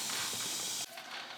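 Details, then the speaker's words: Flat front turf tire on a John Deere tractor, tubeless, before plugging: a sharp steady hiss of air escaping through the puncture that stops suddenly when the rasp goes in; tire puncture air leak. "okay so we've located our leak as you can hear it so we're going to take the rasp"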